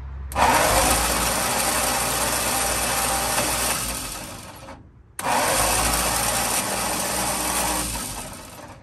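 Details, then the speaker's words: 1948 Ford F-5 ex-ice truck, not run in about 45 years and very low on oil, bumped over on the starter from jumper cables; two bursts of uneven, lumpy cranking. Seems low on compression, suspected, not confirmed. "a little rough but she spins so uh she don't seem to have much compression though that may be a"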